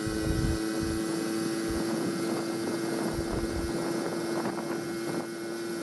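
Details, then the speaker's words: 1980 Honda Express barn-find moped with new piston and rings, bigger-port jug, exhaust and aftermarket carb, riding uphill near its 26 mph top speed: steady drone with ragged stumbling beat under wind noise. Owner plans to try other air filters. Four-stroking. "you hear it for stroking their i'm going to mess around with the air filter or try some different air filters and see if i can lessen that poor stroking"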